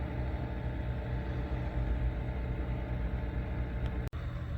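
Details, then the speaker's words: PC after dust cleaning: one aging case fan makes a constant low droning hum with a rough rumble and no rhythm. Noise started after reassembly; the fan probably needs replacing. "all right that one is the noisy culprit they were previously facing downwards or the other way but I chain or actually no that is how they were those fans are getting kind of old should probably replace them"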